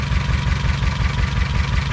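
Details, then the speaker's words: 2007 Honda Civic with P0302 misfire code and very shaky idle: lumpy idle with heavy low thump about five times a second and uneven beat, a cylinder dropping out. "it's got a po3 zero too similar to misfire detected so we're gonna check here see if that cylinder is really bad I'm gonna turn the car on it's shaking shaking shaking shaking"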